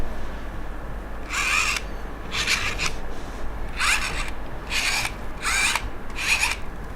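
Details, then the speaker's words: Yongnuo 50mm f1.8 lens: six short, gritty buzzes, each about half a second, as the lens hunts focus; slow, super noisy autofocus motor. "let's talk about the focus all the focus is slow I said that but also it is super noisy"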